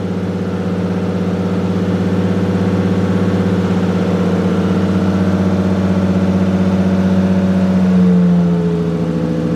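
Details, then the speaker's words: Freshly rebuilt forged 1.5JZ, rebuilt after a broken vacuum line destroyed the previous engine, on its first start. It idles smoothly and evenly, then revs cleanly and freely when blipped, sounding healthy. "camera died on the iphone now but it's running pretty good"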